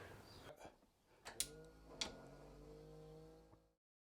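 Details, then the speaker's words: 40,000-mile Rover SD1 Vitesse V8 barn find, stored since 1999: a few isolated sharp clicks with no cranking, starter not engaging; low battery suspected, not confirmed. Starter clicks, no crank. "it's just clicking and not actually engaging the starter so we need to work out what that may be"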